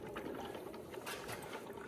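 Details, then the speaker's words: Forklift engine warm at end of day; an oil extractor pumped to negative pressure through the dipstick tube gives irregular wet gurgling and slurping as it draws air, the sump nearly empty; normal for the job. "It literally just draws it out. You can hear it gurgling, because it's pulling a bit of air now, because it's got down to the bottom bit."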